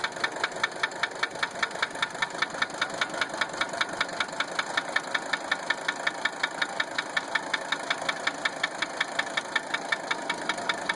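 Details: 1980 Mercedes 300SD diesel idling: a sharp regular knock, about two to three clacks a second, over steady clatter, heard while injector lines are cracked one at a time. The owner first suspected injector nailing; the sound deepened at injector 3.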